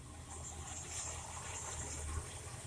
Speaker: So, got her fired up. She's warming up right now. Sounds good.